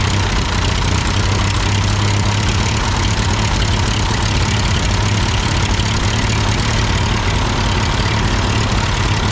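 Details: Ford 8N tractor at idle with no load and the engine hot, just after a carburetor adjustment. It had sputtered uphill, blamed on a cheap Chinese carb; an old Marvel-Schebler ran fine. Smooth, even low idle held steady, no stumbling or dying: normal idle.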